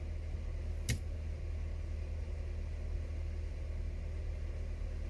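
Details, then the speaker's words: Toyota MR2 running, 11 years old with rust-browned coolant, fan fuses had been missing: steady low electric radiator fan buzz with no cut-out; fans running continuously, owner suspects the thermostat, to be replaced. "let me see how long i've gone for if it doesn't cut out then there might be a problem with my thermostat of which i bought a new thermostat with my service kit just a matter of putting it in"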